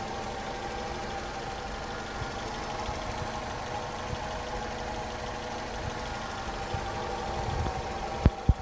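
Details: Honda CR-V first generation at a steady, even idle with a low hum and no hunting or whine; a normal idle, shown in comparison with the hum and whine caused by incorrect distributor timing.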